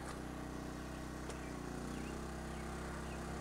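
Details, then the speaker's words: 1000 watt Sportsman generator in economy mode with Supco SPP6/SPP5 hard start relay, powering a 450 watt van air conditioner on high fan only, about 60 watts: steady even drone, no hunting or surging. "no problem. Running about 60 watts."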